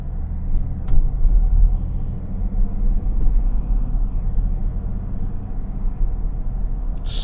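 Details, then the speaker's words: 2024 Mazda CX-60 Takumi, 3.3L turbo inline-six, pulling away from a traffic light under light load: a deep, gruff, low rumble swells and holds. Normal engine note, which the owner says sounds like a truck. "swear to you this thing sounds like a truck in fact my son said that the first time we got in um and I was driving with him he was like this thing sounds like a truck"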